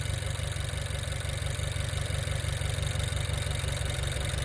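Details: 2018 Honda Accord 1.5 Earth Dreams four-cylinder at idle with an intermittent cylinder 4 misfire (P0304), suspected faulty fuel injector: low, uneven lope about three times a second; short-term trims pulling 14–15%, zero when cylinder 4 coil unplugged.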